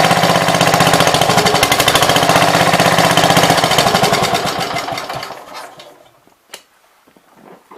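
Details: 1966 Gravely C10 single-cylinder after no-spark fix by switching to a battery ignition coil: quick even popping about four beats a second, no misses, then switched off and quiet; runs normally.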